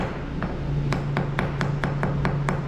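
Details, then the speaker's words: Hammer tap test on a garage concrete floor being ground for coating: about nine taps, a few ringing hollow where the top cream layer has delaminated from the substructure versus solid-sounding sound concrete. "so you take your hammer and and gently tap the concrete around the defect and you can hear a noticeable audible change in the area that structurally sound and the area where that surface has divided slightly"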